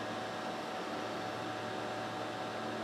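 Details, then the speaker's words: Sharp XV-Z2000 DLP projector (2004–2006) after cleaning and new lamp following a lamp explosion, on first power-up: steady even fan rush with faint constant color wheel tone, no rubbing or rattles; normal color wheel and cooling fan running. "wheel sounds good too it's not too noisy"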